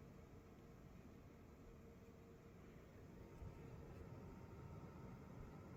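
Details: Gainward Panther GeForce RTX 4080 Super running Cyberpunk 2077 with path tracing at 4K, DLSS Balanced, under heavy load: a steady low-tone fan rush with a faint thin coil whine above it; louder than the previous 4080 but still acceptable, possibly unit-dependent.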